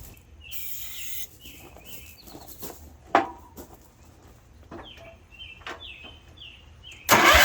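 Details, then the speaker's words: 1972 Wheel Horse Raider 12 lawn tractor after 15 years stored in a shed, sprayed with carburetor cleaner: a few sputtering catches then the engine bursts into life and runs, smoking heavily; owner suspects weak fuel pump or slow fuel reaching carburetor. "We got us a runner. That fuel pump might not be any count, or it may just need a little time to get the fuel up to the carburetor."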